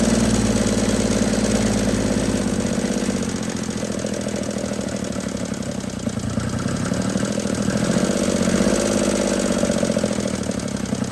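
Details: 1950 DeSoto Custom club coupe, sitting since fall 2019, restarted on a temporary fuel tank line to the carburetor. Low, lumpy idle that keeps wavering in speed and rhythm, never settling into an even beat; runs rough.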